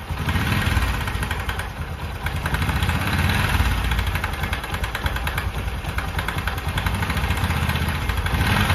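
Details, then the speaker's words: Bajaj Discover 125 cc kick-started at idle: fast, uneven rattle riding on the beat, like a timing chain; not chain or main bearing but the magneto-side starter clutch gear. "ये जो आवाज़ होती है दोस्तों वो होती है magnet की।"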